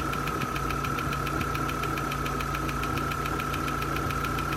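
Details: 2001 Vauxhall/Opel Corsa C 1.4 16V at warm idle: sharp, even ticks about five a second over a steady idle, getting louder the longer it runs. The top-end tick's source is not pinned down.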